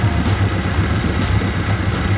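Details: 2017 Mercury 90hp Command Thrust four-stroke outboard after IAC valve replacement cleared the six-beep alarm and fault codes: steady, even low burble with smooth unbroken rhythm, no knocks or misses; normal idle.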